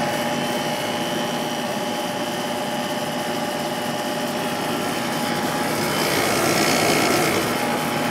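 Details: Sharp 8,500 BTU window air conditioner from 1997, with a Matsushita rotary compressor and a Samsung fan motor, has just been switched on. Steady fan rush over an even compressor hum with no rattles or squeals: it is running normally.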